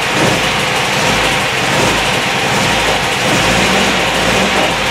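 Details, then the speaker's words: MGB Mark IV roadster (1965-1980) in neutral, choke out, fuel lines to be disconnected for fuel pump removal; engine unexpectedly starts and runs slightly uneven and raspy on residual fuel drawn from the line into the carburettor. "I didn't think it would do it shows how much I know I'm going to let it run for a little bit the door sucks up all the fuel in that fuel line"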